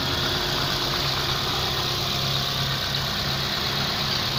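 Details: 08/2011 TK Holden Barina with a 1.6 F16D3 engine, 153,303 km, listed as automatic, being dismantled at a wreckers: four-cylinder idling smooth and steady with an even hum and no knocks or ticks. Healthy engine.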